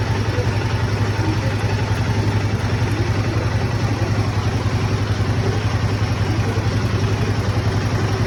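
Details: Royal Enfield Himalayan 452 idling with a light, steady ticking over the low thump; tappet and valve noise.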